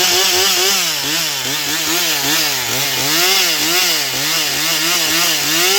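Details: Stihl MS241 C chainsaw with computer-controlled carb, after Seafoam, dull chain: high steady scream sagging slightly with each push into the wood and recovering; normal full-throttle cutting, strong on the high side, starting still the problem.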